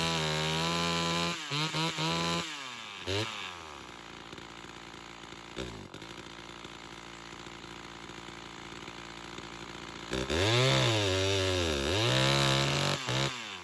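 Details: Chainsaw with hard starting that loses rpm in the cut, tested by adjusting the carburetor metering lever: revs high, then the pitch sags and wavers under load and surges back up; bogging under load, cause not confirmed.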